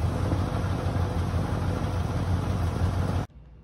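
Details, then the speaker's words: 1972 Ford F100 estate-sale find: low, even V8 burble, steady firing, no knocks or misses, smooth idle before cutting off; normal idle. "and i've got it running right now i mean you can hear how smooth this thing runs it's crazy"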